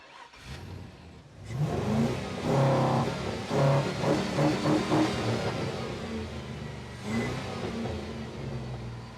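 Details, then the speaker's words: 1949 Ford F1 with an LS swap on a road test: revs climb in uneven surges, then drop out near 27% throttle position, backfiring through the exhaust with no codes and no oxygen sensor readouts. The engine cuts out under acceleration. "That not having is this thing backfiring through the exhaust with no codes? It won't rev up at all now."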